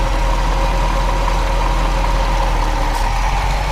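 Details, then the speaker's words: 1994 Corvette ZR1, 405 hp V8, 6-speed; smooth even idle with AC on, faint steady hum of the AC compressor audibly cycling; sounds healthy. Normal idle with AC compressor running. "So you can actually hear it cycling. Go ahead and rev it up a little bit. You know, it sounds really, really good."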